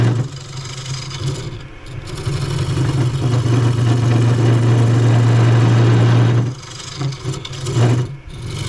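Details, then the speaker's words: Cheap benchtop wood lathe turning a chestnut oak bowl: a low motor hum swells as the cut bites, then sags with a shaky, grindy rattle. The underpowered lathe bogs under the heavy cut, and its shaking loosens the chuck. "Yep, this whole shaking thing in this lathe can be irritating, to say the least, and all the noise it makes."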